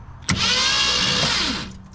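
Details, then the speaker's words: 1966 Mustang off the road since about 1987, cranked with no spark plugs fitted after installing a replacement starter: quick, free-spinning starter whir just over a second, no grinding or drag; starter healthy. "there's no plugs in it still which is why it's so free and all that"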